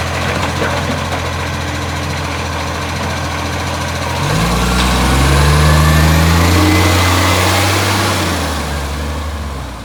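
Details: Brisbane garbage truck diesel near idle: deep rumble with a steady fast puffing, about four per second, that swells as revs rise; a blowing exhaust leak.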